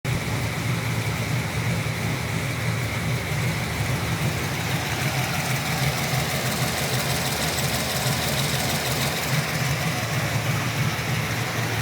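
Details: LS3 V8 with JRE 445 street cam package, ARH long-tube headers and high-flow cats: rough idle with loose, uneven light ticking of about three a second over the exhaust rumble; owner suspects lifter tick, unconfirmed.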